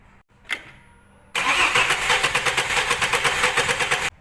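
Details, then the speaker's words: Same misfiring engine, compression test on cylinder three, whose plug shows carbon and burn marks: the starter cranks with quick, even pulses, about nine a second; pressure is fine there, while cylinder four has lost its compression. "من بعد ما فحصنا ضغط المحرك على السلندر رقم ثلاث لو بنشوف كيف الضغط مناسب او مناسب"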